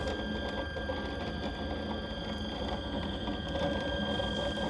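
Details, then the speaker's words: 7-year-old Anet A8 3D printer, over 600 hours of printing: rough, uneven creaking and squeaking from almost every axis with unsmooth carriage movement, from worn linear bearings, before replacement. "after 7 years they've all but given out you can hear the obious creaking and squeaking from almost every axis and the movement is not smooth when moving the print carriage"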